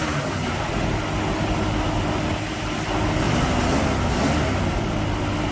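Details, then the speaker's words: 1965 Mustang V8 on 650 CFM Street Avenger carburetor, first start after sitting, cold and warming up: steady, slightly fast idle with even exhaust burble, no misses; high idle during warm-up, electronic choke function uncertain. "Now it's going to be a little bit higher idle because we're still letting it warm up. We're not sure if that electronic choke's working correctly,"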